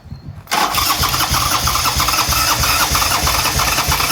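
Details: Buell Cyclone V-twin, first start in 5 years: steady rapid starter churning about three beats a second with no firing catch; cranks but won't start, cause unconfirmed.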